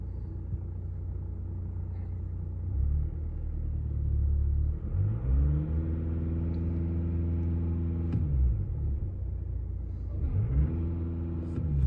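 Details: 2017 Audi A5 after replacing the brake servo pressure sensor (faults C11EC04/C123EF0, ABS pump reconditioned), codes cleared: engine starts and settles into a smooth, even low idle with steady rumble, no knocks or misses; faults no longer return.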